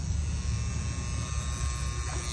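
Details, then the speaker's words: Amana 3-ton condenser, second-floor unit, running: steady low sizzling electrical buzz with a coarse, even hum, like cooking on a grill; contactor buzzing while pulled in. "ng else hear that humming it's like a sizzling sound it's like they're at sizzler cooking a steak or a little grill"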